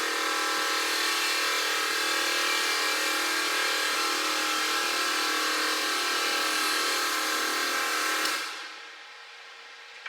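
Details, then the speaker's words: Newly installed compressors, wired straight on, replacing old 30% duty-cycle units, on first ignition-on: steady buzzing whine with no pitch change runs about eight seconds before cutting out abruptly; compressor keeps running longer than expected. "So the old ones were only a 30% duty cycle. So because now it's just straight on. Should turn off. We might have an issue"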